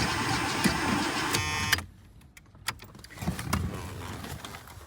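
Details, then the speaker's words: Old vehicle, sat a while, on jump box with starting fluid; brisk cranking about four beats a second, under two seconds, never catches. Has fuel, but fuel lines keep shrinking and pinching off, bending the fuel filter. "Well, you've got fuel in you. Why won't you start? Another issue I've got going on with this thing is the fuel lines keep shrinking. So it's like pinched off up here."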